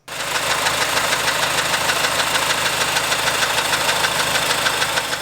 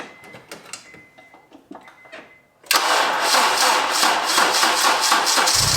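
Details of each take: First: Honda engine, timing chain replaced at just over 200,000 km with an aftermarket kit plus OEM VTC gear, failing after 32,000 km: sharp metallic rattle over the idle about three times a second. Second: Several seconds of cranking, then a clean start settling into an even idle with no knocking or rattle; Honda engine over 200,000 km after replacing a failed cheap aftermarket timing chain kit and tensioner.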